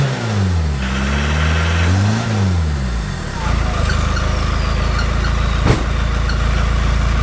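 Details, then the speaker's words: Peugeot 306 Meridian 2.0 HDi with new custom stainless exhaust and extra silencer boxes replacing the rotten original: revs rise and fall then a steady deep diesel rumble, no leak puffing; squeak from the rain-wet engine bay. "squeaks because it's been raining in the engine bay just got a nice rumble to it it's good i like that"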